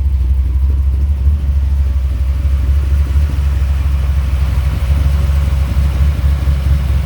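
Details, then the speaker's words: 1985 Dodge Ram D150 with 408 stroker V8, carbureted, air grabber open, before first drive: deep choppy idle with uneven loping beat from the big cam, steady and strong, no misfire; healthy. "you sure hear that cam can't you"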